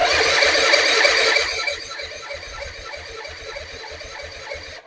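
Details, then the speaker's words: Non-running Suzuki Intruder 250 LC motorcycle, petcock on reserve, choke stuck: starter chugs at an even three-per-second rhythm but engine never catches; spark confirmed, owner plans compression test; cause unconfirmed. "Okay, guys. The choke choke is kind of stuck. Okay, let's try it. Okay, guys. Doesn't start clearly."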